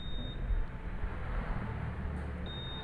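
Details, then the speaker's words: Honda New Vario 150 scooter switched on by remote after re-enabling the ignition tone: thin high beep at power-on and again shortly after over a low rumble; confirmation beep working normally. "Kalau berkedip itu nanti akan keluar suaranya. Kita coba kita nyalakan. Nah, oke. Nah, suaranya keluar."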